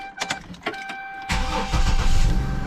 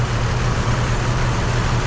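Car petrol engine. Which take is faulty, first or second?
second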